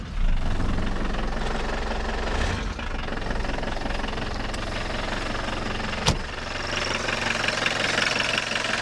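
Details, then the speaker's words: Audi 80 revived after long standing, at idle: a loud, uneven metallic rattle at about three per second rides over the idle and quiets briefly. Pressing or pumping the clutch pedal makes it go away temporarily, pointing to the clutch throwout bearing. "And that should be the clutch throwout bearing making that noise"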